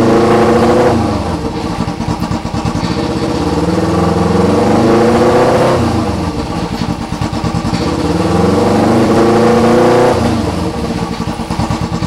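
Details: 2008 EX250 motorcycle chassis with a swapped-in EX500 engine on fabricated brackets. Twin revs up and settles back twice, firing evenly with no knocking, banging or tapping; engine sounds healthy.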